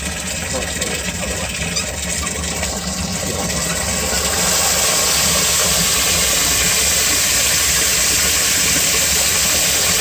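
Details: Home-inspection sump pump kicks on after water is added above the float threshold; a steady hiss and hum swells in after a few seconds and holds level, running smoothly.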